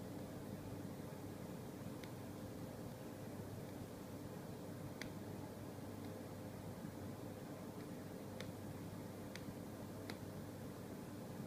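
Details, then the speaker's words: Brand-new LG 23MP75 monitor connected over HDMI to a Windows 7 desktop: sharp popping clicks come irregularly, about one every second or two, over a steady room hum, starting after about 7 minutes. "This is my new LG monitor, and it makes a popping sound. Pop, pop, pop, pop, pop, pop."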